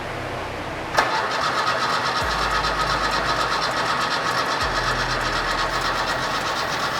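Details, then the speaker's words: Fiat 131 Mirafiori Abarth with newly fitted twin Webers, waking after years sitting: starter click then steady churning about four beats a second that doesn't catch; no fuel yet in carburettors, later fires smoothly. "we haven't got fuel in wait not yet because it's quite low anyway"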